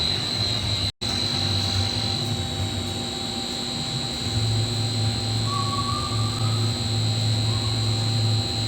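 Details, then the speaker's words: Golf course irrigation pump station being charged after Toro sprinkler head repair, VFD speed to be raised toward 110–114 PSI with isolation valves closed; steady low motor drone and drive whine, no knocks or grinding; normal pump operation. "now we're going to wait for this downall permit to get down to zero and then we will keep upping the BFD speed till we get between 110 and 114 PSI"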